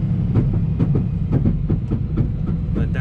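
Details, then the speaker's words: 2003 Dodge Ram 2500 Cummins 24v with 5-speed manual and NP271D transfer case. Repeated low thumps about twice a second over a deep driveline rumble: stretched transfer case chain slipping, though not completely, risking metal shavings. "it sounds like you really don't want to drive it like that too much you end up with a bunch of metal shavings in there"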